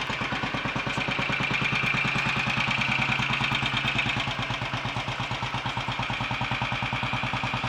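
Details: Royal Enfield 500 Bullet at its first start after top-end work: ported head, reseated valves, new guides, high-compression piston, retarded inlet cam timing, ignition advanced slightly. Crisp, regular single-cylinder thumps at a steady cold idle with no misses; runs cleanly.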